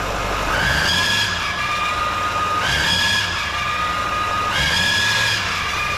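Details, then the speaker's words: 2018 Duramax 6.6 diesel, belt removed, fine at idle: each rev brings rising whine and rough growl that fades at idle; turbo bearing first suspected, metal in oil, owner now suspects engine bearing, long block likely. "I actually pulled off the belt because I thought it was something else that was squealing, but this way, now it's kind of making a worse, but as soon as you rev it up any, or put any power to it, just listen."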